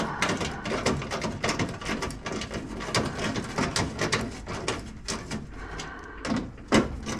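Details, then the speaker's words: Hand-crank window regulator after caked-up old grease was cleaned off the crank and track: quick, repeated soft rolling strokes with no binding or grinding; window travels freely and rolls much better than before cleaning. "oh yeah that's rolling a lot better than what it was guys just me cleaning yeah yeah it would not roll like that before guys"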